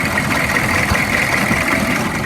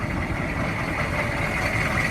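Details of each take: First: 2002 Chevy 3500 utility truck, 6.5 liter diesel, 89,150 original miles: loud, clattery but steady, even idle with no obvious knock; something sounds rough in the front, cause unknown. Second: 2002 Chevy 3500 utility truck, 6.5 L diesel, 89,150 original miles: loud but steady even diesel clatter at idle, no misses; idles smooth, though something sounds rough in the front.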